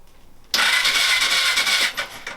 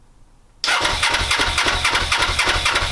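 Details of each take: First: Suzuki GS500, first turnover in five years, spark plugs out, clutch pulled in, ignition on: a bit over a second of fast, smooth, hissy whirring with no binding or clunks; the engine turns over freely. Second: Suzuki GS500, first start attempt in five years, coldest of cold starts, ignition on, choke on, fuel primed: starter spins at a steady chug of about four beats a second but it never fires.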